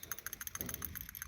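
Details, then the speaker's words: New PCV valve for a Mk1 Ford Escort panel van, shaken by hand before fitting: light, quick ticking rattle, about eight taps a second, showing the check ball moves freely; normal PCV valve check ball rattle. "it rattles. And it's a brand newie. And should be the one that I need."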